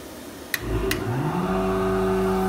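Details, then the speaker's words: MultiCam 3-204 CNC router switching on its 10 HP MultiCam Turbo Vac positive displacement vacuum blower. Switch clicks, then a steady, even hum; normal start-up, with suction holding the workpiece even though the whole table leaks. "gonna turn the vacuum pump on suction's good even with the whole table leaking still holds this piece with no problem"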